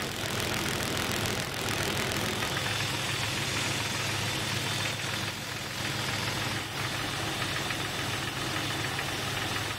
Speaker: the ambient noise is very hard to pinpoint almost impossible to tell where the sound is emanating from it seems like the middle of the engine block this noise could be easily mistaken for a piston slap